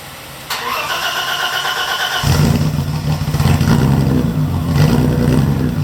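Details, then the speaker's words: BMW E30 parked over 4 years, new alternator fitted and air box refitted: cranks about two seconds, catches at once and settles into a smooth, even idle with a light rev; started right up, no issues. "As you can see, started right up, no issues."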